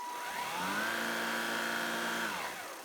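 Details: Gtech AirRAM Mk1 22V cordless vacuum on a 22.2V 2000mAh Li-ion pack (six 18650 cells), tested after its corroded charge-control board was cleaned with water and dried: motor spins up to a steady high whine, holds an even pitch, then winds down. Running normally.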